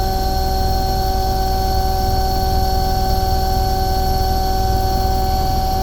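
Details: Omni/EconoHeat/Morrheat waste oil heater burner after cleaning burner and nozzle, setting about 12.5: steady even roar, constant hum, no surging or puffing; running beautifully, startup smoke clearing.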